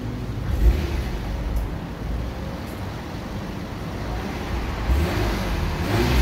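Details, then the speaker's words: Mercedes-Benz with 203,000 km, rev test inside a car wash. Deep, smooth exhaust rumble rising steadily with the revs and little smoke; the engine sounds healthy with plenty of power. "one there you go that's a sound test for you it's uh it's got plenty of power 203 000 kilometers and it still sounds good"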